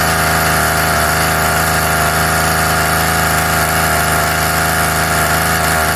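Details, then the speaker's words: Craftsman Mini Tiller 536.797500 small two-stroke, after repair and tuning: loud, steady buzzing at constant pitch with no surging or misfire; runs clean. "so yeah oh it runs tuning time and tuned"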